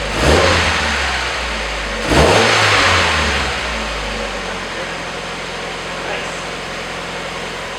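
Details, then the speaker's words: Mazda Miata just after the exhintake camshaft mod, started with the clutch in and the high beams pulled; two quick throttle blips rise and fall cleanly, then the engine settles into a steady, even idle. Seems to be running fine. Normal revving. "Now pull the high beams. Seems to be running fine."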